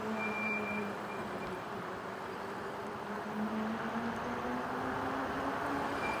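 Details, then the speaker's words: E-bike going downhill: a thin, steady squeal near 200 Hz over wind and road noise. The rider is pulling and releasing the brakes to bed them in and stop the squeal. "we're going down the hill you can hear you can hear the squealing of the brake"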